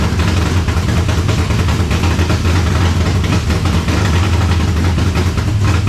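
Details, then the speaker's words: 1970 Chevelle V8 with Holley Sniper 2 fuel injection, early start while setting timing: deep, loping idle with uneven, lumpy beats; owner suspects timing still off, possibly IAC settings. Cause suspected, not confirmed. "Alright, to me, it sounds like our timing is still off."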